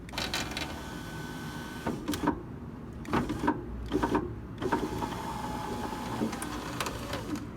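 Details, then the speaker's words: 2004 BMW Z4 E85 power window after glass replacement following a break-in: motor whirs with irregular gritty crunches and snaps as the glass moves; broken glass has got into the regulator motor and cable, so the regulator must come out. "Let's see if we can find whatever that crunch. Okay, we got a problem. See all that glass right there? Yeah, that's getting into the motor and the cable, and so I gotta take this regulator out."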